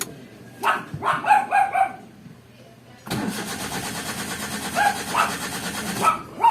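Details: Suzuki Alto cranks steadily for about three seconds but won't start. A scan showed a cam position sensor code. The cause was a loose spliced connection at the CMP sensor socket, which was then repaired.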